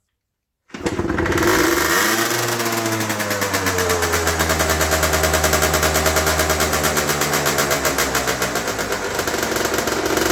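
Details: Aprilia SX50 two-stroke just fitted with a new battery, dash now working properly: fires up quickly and settles into an even buzzy run with light throttle blips; healthy, steady running.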